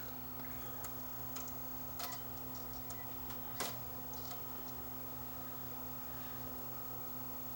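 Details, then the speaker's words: Liteon LVW5005 DVD/CD recorder: steady low hum of the spinning disc with soft irregular head-seek clicks; the drive spins and begins reading. "okay it's spinning i can hear"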